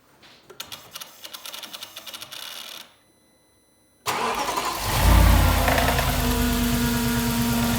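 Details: 2006 Audi S4 Avant 4.2 L naturally aspirated V8, 262k km, automatic, cold start: cranks, rev flare, then faint rattle; VCDS shows timing chain stretched, needs replacement.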